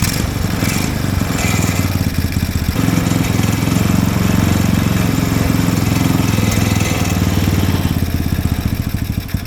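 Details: Mini Willys-style Jeep, Chinese engine, after idle screw adjustments: uneven chugging that swells and sags on its own; hunting idle, carburetor slide suspected sticking, possibly gummed up.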